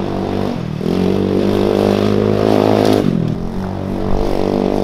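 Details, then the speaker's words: Zircon 150cc single-cylinder go-kart after performance parts were installed, with valves that previously rattled like crazy: it pulls up smoothly through the revs and settles back cleanly with no valve tick; healthy engine. "I do notice I don't hear any valve rattle which is a good thing because the valves was pretty bad before they rattled like crazy"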